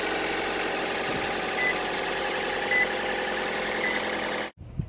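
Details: Toyota 1NZ-FE petrol engine at start-up with the valve cover removed; a busy metallic rattle over the idle comes from a slack timing chain after the tensioner lost pressure.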